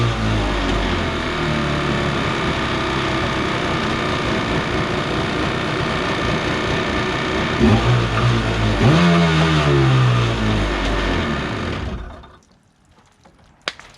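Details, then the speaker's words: Borrowed Kawasaki 750 jetski engine in a mini jet boat, run on the hose with the jet pump removed: steady, even note, revs up smoothly, then shuts off cleanly; the earlier crazy noise is gone, so it was in the pump. "Alright, that seems totally fine now. It's not making that crazy noise. So whatever it is was in the pump."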